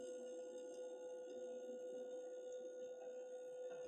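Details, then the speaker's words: Gas boiler with error code, combustion case removed: quiet steady buzz at one mid pitch from the combustion fan; engineer suspects failing fan but also doubts whether fault is fan or PCB. "They've left it, and now that I've got the combustion case off, I can actually hear a buzzing coming from the fan."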